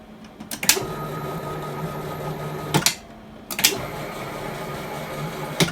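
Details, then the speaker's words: Drill press upgrade with a stepper motor, new acceleration-ramp software, run at speed setting 60: each move starts with a click and rising hum, stops with a clunk; normal smooth stepper acceleration ramp. "yeah you can still hear that acceleration just ramping it in 60 surely it won't do"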